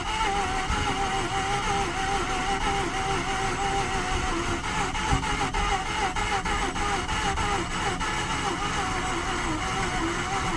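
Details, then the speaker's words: 2009 Mazda RX-8 Grand Touring, 6-speed manual, 215k miles, not run in 8 months, at -8: steady starter whir with a few weak pops and stumbles, never catching; thick cold oil slows cranking, low compression suspected. "That time it stumbled a couple times, got a couple sputters, but it's really, obviously with this -8, the engine oil is just so thick the starter's not cranking it as fast as it'd like."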